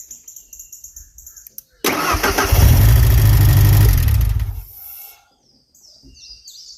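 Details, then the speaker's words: 1991 Ford Ranger 2.3-litre, manual transmission, first start after engine reassembly: fires with a sudden, very loud deep booming roar for a few seconds; no muffler fitted, straight exhaust. "loud what the heck is loud oh that's right it ain't got a Muffet on it I forgot there's no Muffet on this thing"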